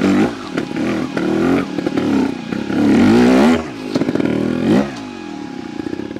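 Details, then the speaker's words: 2022 Vertigo Nitro 300 two-stroke trials bike in third gear, low rpm under load. Deep, lumpy thrum with a strong bottom-end grunt rising and falling with throttle; a healthy engine pulling cleanly. "now today we are on the 300 again here's my bike and i wanted to show people just how awesome this bike's gearbox is still third gear you can hear that grunt on the bottom end"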